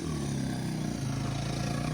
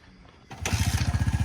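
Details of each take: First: Honda XR100 or Yamaha TTR90 pit bike on test ride: drone under load, then loose irregular clatter and crunch as it slows before being shut off; engine knock, possibly low on oil, unconfirmed. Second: Honda XR100 or Yamaha TTR90 pit bike after a dirty, black spark plug was dealt with: single cylinder catches and settles into an even putter about twelve beats a second, no misses or smoke; normal idle.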